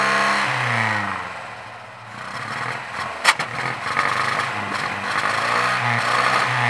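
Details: 1967 Volvo 122 Amazon B18 engine with low compression (150, 120, 120, 150 psi), possibly low on gas: weak, uneven idle that lopes and sags, revs lacking punch; rough running from low compression.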